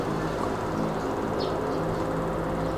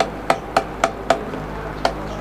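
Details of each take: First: Electric fan after repair: its plastic gearbox was replaced with a metal one. While oscillating left and right it gives a steady, even motor hum with a faint buzz, and the earlier knocking is gone; normal. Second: Old electric fan on speed 1 while oscillating: sharp plastic clicks, about four a second, over soft fan hum, loudest when swinging to the right, from the cracked oscillation gearbox.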